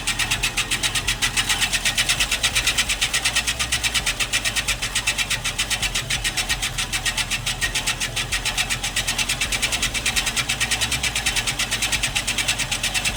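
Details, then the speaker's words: Scotts Classic 20-inch 5-blade reel mower with electric conversion kit, reel spun backward with 100-120 grit lapping compound brushed on: steady rasping grind pulsing 4-5 times a second, crunchy at first then smoothing; reel backlapping grinding. "Now, we're going to take a little paste, put it on the brush, and we're going to run it across the blade. And you can hear it start to grind."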